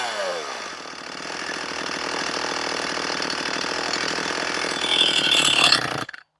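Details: Stihl MS241 C chainsaw with computer-controlled carb, after Seafoam added and air filter refitted: ragged uneven buzz surging and sagging for seconds, then cutting out abruptly; rough running, won't hold idle, cause unconfirmed.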